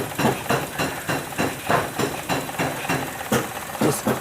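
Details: 2016 Maruti Suzuki Celerio VXI idling with a lumpy, uneven, stumbling beat. One cylinder misfires because the coil gets no spark pulse after start, so the ECM is suspected faulty.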